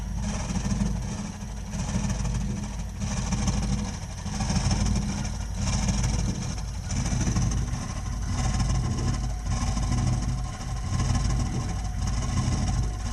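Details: Burnham Alpine ALP150W gas-fired boiler, 3 years old, frequently rumbles when running: deep steady rumble with a slow surge about once a second while firing; cause unknown.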